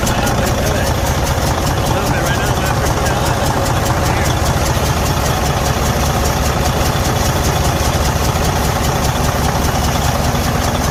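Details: Freightliner Cascadia DD15 diesel at idle with a loud, steady heavy knock, about two or three blows a second; engine failure with damaged internal components.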